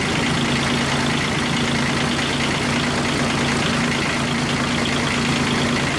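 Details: Kubota G1800 tractor diesel after engine reinstalled (rings possibly worn, radiator repaired, oil plug tightened, mowed two hours fine): steady, even idle clatter with no misses, knocks or hunting; normal idle.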